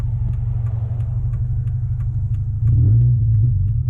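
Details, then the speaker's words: Subaru Forester driving with muffler removed: deep, loud, even rumble with steady pulses about four a second; open exhaust, running smoothly. "oh yeah she's just purring like a kitten now"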